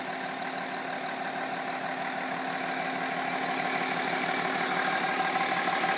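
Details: BMW E46 330d diesel idling with a regular tick about three times a second over the usual clatter, growing slightly louder; source not pinned down.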